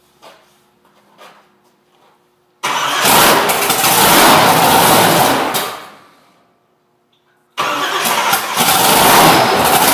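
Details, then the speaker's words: Plymouth Road Runner freshly reassembled, started in a cold shop, timing and idle fuel not yet set: fires promptly into a loud, even roar, shuts off, then restarts cleanly; engine starts and idles. "i just fired it up just to see if it would run and idle and uh it did so i just shut it off"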